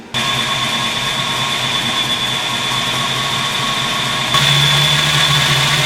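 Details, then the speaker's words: 1986 Mustang GT, newly installed Flex-a-lite Xtreme 185 electric fan; warm idle with hissy airflow hum, fan whir joins at about four seconds and holds even as it kicks on; fan cycling normally. "So the thermostat opens around 185. Go ahead and kick the fan on, let it cool off. That way it's not on all the time, or it's not too hot when it kicks on."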